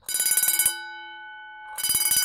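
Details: Vintage Vulcan Autosonic Mk. 30-A (VA-M-30FT) windup heat detector bell test: two quick bursts of rapid, bright strikes with clean ring-out between; striking evenly and healthily.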